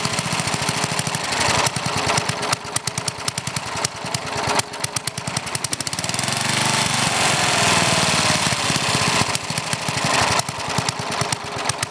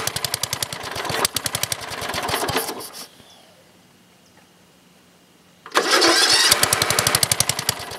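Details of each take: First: Older Briggs and Stratton, one-piece Flo-Jet carburetor, air filter off: popping unevenly with stumbles and surges, briefly steadying then hunting again as the mixture screw is turned in; idle mixture too lean, smooths when screwed out richer. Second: Older Briggs and Stratton engine, one-piece Flo-Jet carburetor, air filter off, jump-started: crisp, regular single-cylinder beat near four per second, steady exhaust, no surging; idling cleanly before mixture adjustment.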